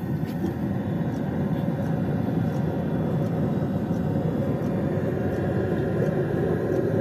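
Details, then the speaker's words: Autoterm Air 2D diesel heater in a Mercedes 310 T1 van with extra diesel tank, heard under the van: soft sparse clicking from the fuel dosing pump over air intake rush, exhaust quiet, no smoke or smell; normal operation. "under the van you can hear this clicking noise from the fuel pump and the other noise that you can hear is from the air intake the exhaust pipe is absolutely quiet and there is no smoke and no smell at all"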